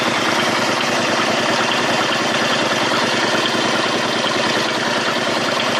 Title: Bruit moteur